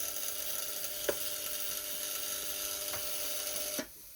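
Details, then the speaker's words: Polti Vaporetto 2400 steam cleaner found broken, not steaming; steady mid-pitched electrical buzz from its solenoid valve over steam hiss, sounding unhappy. "You can hear the solenoid buzzing. Doesn't sound happy, but I don't know what I can do about it."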